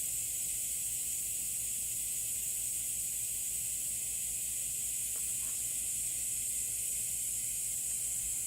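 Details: 2016 Toyota Highlander tire raised on a jack while being plugged with a plug kit: continuous, unbroken sharp high hiss, air escaping through the open tread puncture; tire air leak.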